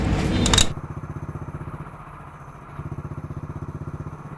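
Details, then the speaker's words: Hero Splendor single-cylinder motorcycle after a thin, worn primary gear was replaced: even idle thumping about four times a second with no rattle from the clutch housing; normal idle. "तो यहां पर देखिए जो में इसका plus है clutch के अंदर से हर किसी भी किसी चीज की साउंड नहीं है"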